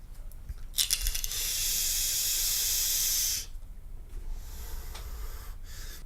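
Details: Voopoo Drag 2 mod with UForce tank, wattage mode at 75 W, coil reading 0.2 ohm: steady smooth hiss about two and a half seconds, starting and stopping cleanly with no popping or spitting; coil firing normally.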